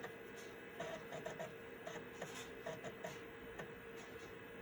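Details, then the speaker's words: Citizen W1D floppy drive in Compaq Armada 7770DMT laptop after belt replacement, reading MS-DOS 6.22 disk 1: soft intermittent seek clicks and short chirps over faint motor hum; normal floppy read. "Everything sounds good. Doesn't mean it is good. That's a very good sign."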